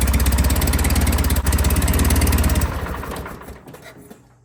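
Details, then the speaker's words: John Deere 316 tractor engine after first attempt to tighten a slack throttle cable: steady low thudding about three and a half beats a second, then dies away; never reaches full speed; repair failed. "And just as suspected, I can't fix a damn thing. That didn't work."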